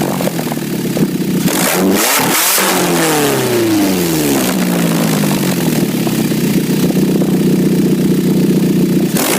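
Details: 2006 Nissan Altima at idle and on revs: loud, raspy, motorcycle-like bark swelling sharply with each rev; exhaust leak at the flex pipe.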